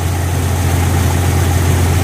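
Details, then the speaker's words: Jeep Cherokee XJ on 36s after swap to a 135 amp alternator from a 98 Grand Cherokee 5.2 V8: brief belt squeak on start, then steady even low idle rumble with no knocks or misses; normal idle. "That's squeaking a little bit. There it goes. There we go. Oh, we're back in business."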